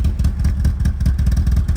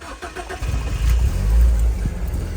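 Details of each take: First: BMW E36, original engine, first run in about four years with the MAF jury-rigged back on: choppy, uneven low thumps with irregular gaps at a lumpy idle, sounding like it wants to cut out; owner suspects it is running on maybe two cylinders. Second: BMW E36 on its original engine, restarted after breaking down; owner believes the MAF had fallen off rather than a fuel problem: brief crank, then it catches cleanly and settles into a strong, even idle with no misfire or stumble.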